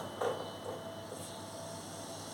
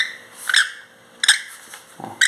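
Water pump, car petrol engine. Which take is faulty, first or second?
second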